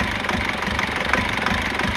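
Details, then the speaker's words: Foton Tunland diesel pickup idling unevenly with a rattly knock and visible engine shake, which it never did before. Its injectors were recently repaired, but two gave problems again and went back for rework. The rough idle's cause is not yet found. "just wanted you guys to see what I mean by idling Rock it's not too bad but can you see how that how the engine is just shaking she never used to do that"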